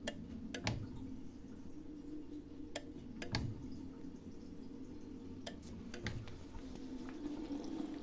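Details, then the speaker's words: SKD-8 Euroaqua automatic water pump controller: sharp irregular relay clicks over pump hum as the pump short-cycles, restarting at 2.1 bar right after reaching 3 bar; pressure sensor reading off by over 30%. "от тільки було три бари тільки впало до 2.1 запустилося слухайте як клацає"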